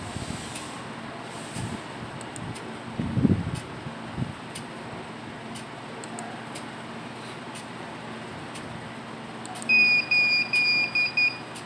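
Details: Hikvision security recorder: after a quiet stretch, its buzzer sounds a quick run of about five high-pitched alarm beeps.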